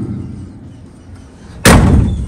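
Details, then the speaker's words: 1965 Chevrolet Nova sedan, rescued project car: single deep solid door-close thud with no rattle or tinny ring; door and seam good, body solid except the roof. "you hear that the door sounds good look at the seam on that that's not bad"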